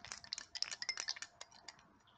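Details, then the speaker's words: 2014 GMC Sierra 1500 AC compressor that seized after 9 years, removed and turned by hand; irregular metallic clinks and rattles from a broken internal piece, which the owner believes started with a part coming loose. "it doesn't sounds good well this is definitely broken"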